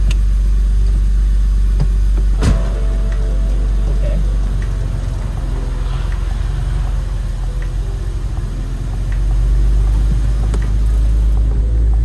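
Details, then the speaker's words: Rare Techart Porsche 996 at its first start after long storage: a low, lumpy note with uneven pulsing and a wavering idle, a stale engine running rough from sitting a long time. "Brilliant! Definitely sounds like a car that hasn't run in a long time. We're gonna change that."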